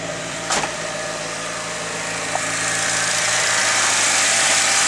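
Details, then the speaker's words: Nissan 180SX ex-drift car on first start: lumpy, uneven idle like a lawnmower, seeming to run on three cylinders; owner suspects the old fuel had two-stroke in it, coil packs being checked. "Oh, oh, oh. It sounds like a fucking lawnmower. She's alive!"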